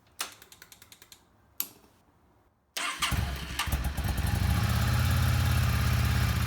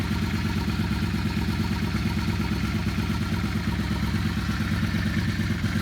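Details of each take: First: Yamaha Star 650 V-twin after carburetor cleaning, rebuild and reinstall, first start on a little fresh gas with full choke: two bursts of even starter cranking, then catches and settles into steady lumpy idle; normal cold start. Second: Yamaha Star 650 V-twin after carburetor rebuild, carbs being balanced by turning adjustment screw: low, slightly lumpy twin idle pulsing about twice a second, otherwise steady.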